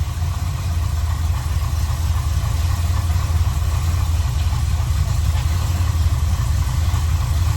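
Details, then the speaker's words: 1984 Chevrolet one-ton wrecker V8 at idle after redoing the passenger-side header, the worse leak: deep idle with faint uneven puffing tick following engine speed; headers now sealed, remaining exhaust leak at the collector. "I don't hear anything up in the engine bay. Let me grab the phone. Up at the header pipes anymore. Sounds like we're just leaking up down to the collector now."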